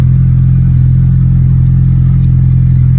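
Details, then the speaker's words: 2008 Honda Civic, four-cylinder automatic, that failed inspection, running right after an unexpected start despite a dead battery: steady idle with a fast, even puffing tick of about 214 a minute, a known exhaust leak. "So it sounds like she's got a bit of an exhaust leak."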